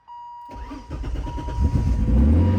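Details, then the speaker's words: BMW E30 325is swapped with M50 inline-six: key-on chime, starter catches quickly, settles into smooth even idle with no knocks or misses; oil and coolant checked good beforehand; normal, healthy start and idle. "So as you can hear, it's running. It sounds very healthy. It sounds very good."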